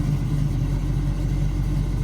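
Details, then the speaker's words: Carbureted V8 after completed carburetor tune; deep, steady burble with even low rumble, no misses or knocks; normal running. "All right y'all done ready to roll out of here. Tune complete. Running good"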